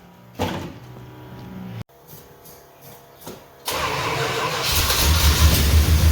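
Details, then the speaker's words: 400 big block in a truck, started with fuel in the carburettor and little gas in the tank: it cranks, catches and settles into a steady, even rumbling idle with no knocks or misses; runs healthy. "well it runs [Music] actually sounds decent this is a 400 big block in this truck okay it runs"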